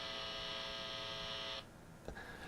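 A steady high buzz with a low hum underneath runs for a second and a half, then stops; mains hum of unknown source.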